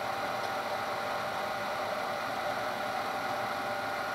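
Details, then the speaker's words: Denso alternator for a Jeep Cherokee XJ/ZJ with skimmed slip rings and new brushes, bench-tested driven by a mill into a load resistor at about 50 A: a steady, even whir and smooth hiss with no grinding or brush chatter. Normal running under load. "but it works fine we can hear it's doing some loads I'm the resistor starts thinking so there's no far let's take a line up here"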